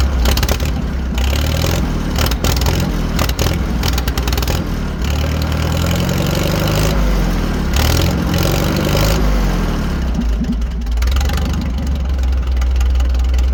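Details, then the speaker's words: 1940 Farmall H four-cylinder with straight pipe, after new spark plugs fitted, oil found wetting cylinder two; deep, loud, even exhaust beat with no skips; running much better, all four cylinders firing. "so as you can hear the tractor is running way better we have all four cylinders now I like straight pipes as much as the next guy but much better"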